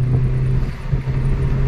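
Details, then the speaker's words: Maruti Wagon R 4-cylinder on petrol, after fixing pickup problem (previously wouldn't pass 60 in 5th): pulling toward 80 in 3rd then 4th with a steady even drone, no stumble or misfire; normal acceleration. "ये देखो ये देखो, यानी यूं ही 80 कूद रही है।"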